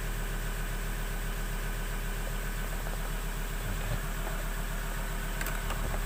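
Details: 2018 Ford Ranger Wildtrak 3.2 diesel after its no-start problem was fixed; even diesel clatter at a steady idle with a smooth, regular low beat, no misses or knocks: normal idle.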